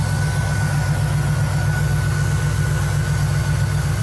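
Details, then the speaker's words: 1975 Cadillac Fleetwood V8 idling after resealing the valve cover gaskets, oil pressure building and temperature rising normally; smooth, even low rumble with no ticks or misses; normal idle, with slight smoke from old leaked oil burning off. "Yep. Sounds pretty good. Pressure building up. Temp's rising, it's normal."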